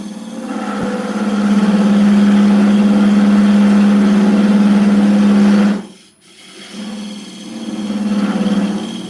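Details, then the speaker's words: Wood lathe roughing out a bowl recess with a square carbide tool; loud steady low hum holds for seconds during the cut then drops away as the bowl vibrates: lathe vibration harmonics hum. "So just some harmonics there. Some noises."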